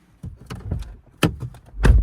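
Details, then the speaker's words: Audi Q3 central locking after tailgate/module repair replacing £5 relays: three crisp, even clunks as doors unlock from locked, where before it wouldn't unlock at all; now unlocking properly. "Now before, if you tried to unlock it, it wouldn't unlock at all. So if we hear any noise, that's good."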